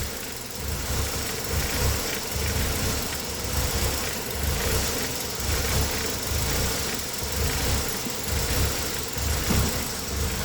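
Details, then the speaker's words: Engine with code P0400: idle lopes with a dull pulse about once a second over a steady hum while vacuum-leak tests change the idle. A vacuum leak was suspected. "It did change idle. Let me spray some brake cleaner over there."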